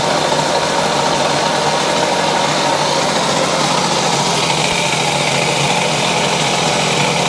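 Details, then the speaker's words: 1970 Yamaha HS1 90cc twin two-stroke, choke on, leaking oil pump: harsh raspy buzz at steady fast idle with a clattery edge, one side running better than the other; very noisy running, owner suspects crank bearings. "doesn't sound very good sounds good back here [Music] this gu running better over here yeah that's pretty bad I think that's what we're up against crank [Applause] bearings"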